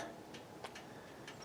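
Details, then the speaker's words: Car stopped after driving a while: faint, irregular light ticks, a few each second, over a quiet background; heard every time the car stops after driving, cause unknown. "but do you know what this sound is that my car makes it makes it every time I stop after driving a little while"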